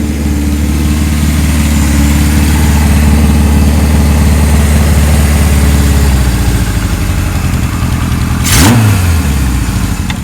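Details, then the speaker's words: 1978 Kawasaki KZ1000 LTD with new rings breaking in, cold evening: steady, even idle with smooth low rumble and a brief clean throttle blip; normal idle, expected to smooth further as it warms. Motor sounds good, no smoke, no oil leaks. "Sounds like it's going to straighten out the more it warms up. Let the new rings break in and everything. Motor sounds good."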